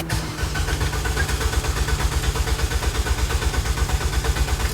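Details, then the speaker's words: 2009 Nissan Versa, about 30,000 miles, radiator fan running at high speed before starting: starter cranks steadily, about two pulses a second, but never fires. Crank no start; fixed, two ECU connector pins were not making contact. "So, I'm thinking there's uh some kind of problem with the uh I don't know, maybe a relay or a I don't know, maybe the computer and it won't even start."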